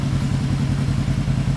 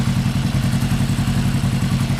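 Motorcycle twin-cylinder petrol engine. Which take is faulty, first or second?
second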